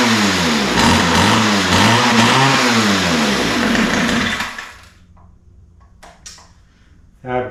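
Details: Ryobi two-stroke line trimmer, after opening lean mixture screws: revs unevenly, warbling about four times a second, then sags and dies within seconds; idle screw backed off too far to hold idle.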